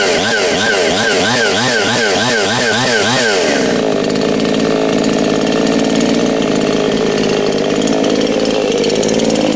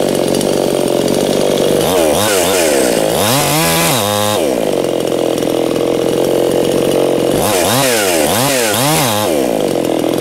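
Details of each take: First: New ANBULL two-stroke chainsaw, first start, breaking in: buzzes up and down with the throttle, clean steady firing with no misses or rattles; healthy running. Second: New Anbull chainsaw breaking in, chain brake set under repeated throttle bursts: screams up and down without bogging; the saw overpowers the chain brake; brake slipping.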